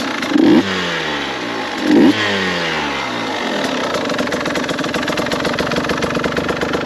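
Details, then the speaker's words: 2022 KTM 150 XCW two-stroke dirt bike, first start; two sharp throttle blips fall away cleanly, then a quiet, even idle with a light crackle. Normal idle. "It's amazing, absolutely amazing to me how quiet these bikes are. A lot of guys will say, why do you need an electric bike when you have a two-stroke this quiet?"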